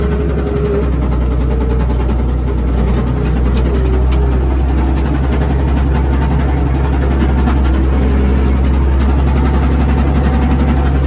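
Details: Old Komatsu WA180 wheel loader diesel at idle with uneven light tapping over a heavy rumble; suspected rod knock, engine died and owner considers it cooked, cause not confirmed.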